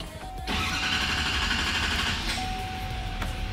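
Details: 2020 GMC Sierra 6.6 after fuel filter change: starts quickly over a dash chime and settles straight into a smooth, even idle without stumbling; healthy start.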